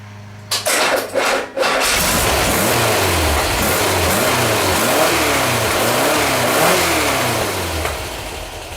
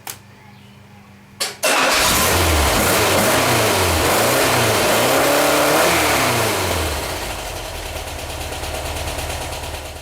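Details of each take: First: Freshly rebuilt Type 4 engine with new dome-top pistons, gapped plugs and new plug wires, holding good oil pressure: a few starter bursts, then catches and settles into an even idle with smooth revs; owner suspects weak starter; normal running. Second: VW Type 4 engine rebuilt with new dome-top pistons, new plugs and wires: slow, labored cranking before catching to a lumpy idle; hard starting, owner suspects a weak starter or the new pistons' compression ratio.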